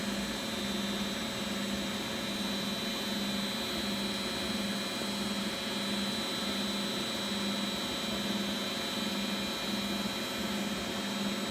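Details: Beko WX842430W front-loader, possibly 2017, on spin cycle: quiet even hum and whir at constant speed, no thumping, grinding or rising whine; normal high-speed spin.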